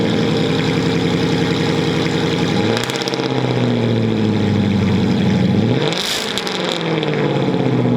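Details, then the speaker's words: Car started at a shop: engine catches and settles, then two clean blips rising and falling smoothly with no knocks or stumbles; sounds really healthy. "not bad at all it's a beaut for sure she sounds like really healthy she's a pretty car"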